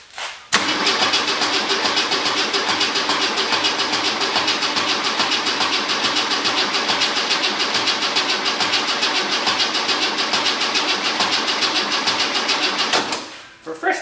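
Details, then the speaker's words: Holden VK Commodore with carburetted black-top 202 engine, cranking after rusty fuel tank and fuel line work while fuel reaches the first filter; lazy even starter beat for about twelve seconds without firing, sounds low on battery voltage, cause unconfirmed. "It sounds like it's kind of not got a lot of voltage."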